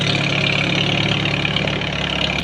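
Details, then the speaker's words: 1939 Farmall H tractor engine after new plugs and wires and new gas, previously missing and running rough: steady even idle with smooth low beat, no misses; running good. "it must have been the plugs and wires I got all the other parts for our full tuneup and carburetor rebuild but running good"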